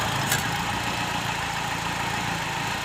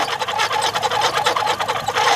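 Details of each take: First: Car AC belt after fixing a belt that slipped and squealed, weakening AC performance. AC switched on and off repeatedly; smooth steady idle with a faint even hum and no belt squeal: normal idle. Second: Car engine running, AC switched on, filmed from underneath at the compressor belt: high wavering squeal as the compressor clutch engages, pulley slipping inside a loose (new-looking) AC belt; fix is tightening the belt, or replacing it if worn.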